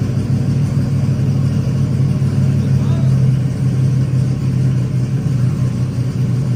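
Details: Truck that had no spark, now running: deep, steady rumble with even firing and no misses or knocks, holding a stable speed. Normal running.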